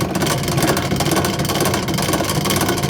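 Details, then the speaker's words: Last Chance Archery EZ Green bow press cranked in: continuous gritty chatter and rattle from a dry internal rubber wheel needing grease. "so what that what that's caused by is on the inside here um it's rattling and it needs some grease"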